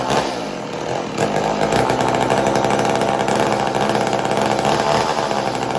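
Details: McCulloch Mac 120 chainsaw, bought as non-running and just got running: high-pitched buzz whose beat wanders and stumbles instead of holding even; rough running, owner thinks it needs a carb rebuild.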